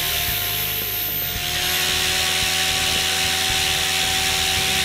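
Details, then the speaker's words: Goblin 500 electric helicopter, Castle Talon 90 ESC reprogrammed to Heli Fixed End Point mode: steady high rotor whine with fast even beat climbing and holding higher speed, switching between normal and idle up modes cleanly, no roughness. "I'm going to go back down the idle up one it went down back down into normal mode and it went down again"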